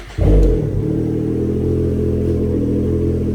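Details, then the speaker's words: 2022 Ski-Doo Renegade Adrenaline 900 Turbo R snowmobile in the garage, first start after installing RPM silicone charge tubes, intake and BOV kit: catches quickly and settles into a smooth, steady low idle with no knocks or rattles, sounding normal. "Sounds normal. Now you can hear the blow-off valve when you let off and put the brakes on."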